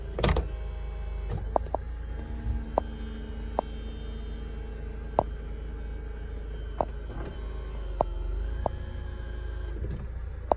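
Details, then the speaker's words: 2004 Mercedes SLK 230 automatic, 55,000 miles, engine idling while the folding roof retracts: hydraulic pump hum with regular clicks and clunks as the boot lid lifts and the roof folds; normal convertible roof operation. "You can just see it going, the boot lid lifting behind me, and there goes the roof. Exactly as you'd want it to do."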